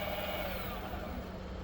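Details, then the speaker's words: New Bafang BBSHD 1000W 52V mid-drive motor bench-tested before fitting to the bike, throttle only: smooth, steady electric whine with low hum, no grinding or ticking; motor spins freely after initially turning slowly, test successful. "Oh, ça marche. Trop content. Bon bah, du coup voilà, le test est concluant."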